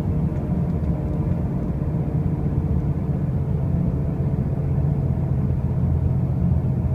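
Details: 2005 Pontiac Grand Prix with brand new wheel bearings and new tires: a deep steady rumble and drone while driving at constant speed, no clear knock or whine; a loud droning noise, cause unclear.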